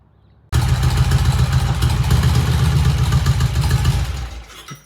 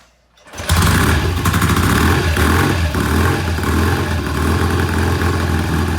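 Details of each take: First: 1968 BSA twin motorcycle on test ride, all four gears engaged, clutch action smooth: pulls in with an even, firm beat and settles smoothly as it stops; sounds healthy and runs clean. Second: 1968 BSA twin, kick-started: fires loud but idles uneven and lumpy, one cylinder lazy and won't hold idle; misfire and rough idle, cause not confirmed, to be warmed up slowly and rechecked.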